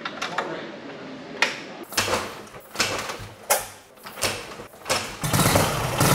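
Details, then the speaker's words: Junkyard Harley WLA V-twin, all original after being parked 25 years, only the carburetor rebuilt, engine never opened: several kick-start thumps, then it catches and runs with an even, lumpy beat; starts and idles fine. "That sounds so good too. It really does, and again, it's like, we really didn't do anything. We haven't been into the motor."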